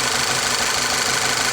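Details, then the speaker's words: Volkswagen CC with P0300 misfires, new spark plugs fitted: lumpy uneven idle with light ticking over a thin hissy note; scope showed the fault followed a cracked ignition coil when it was moved between cylinders; all coils to be replaced. "This ignition coil, the one that was previously number 1, clearly has a crack in it. It's compromised."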